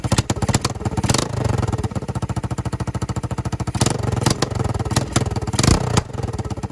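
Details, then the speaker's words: Yamaha 225DX Tri-Moto three-wheeler being revived, kick-started with the throttle pulled out of the handle (cable too short, adjuster broken), still on old dirty oil: even single-cylinder idle, no valve tap or ticking from the top end. Normal running. "Oh yeah. Again, no valve tap, none of that. No valve tap, even with the shitty oil that's in it."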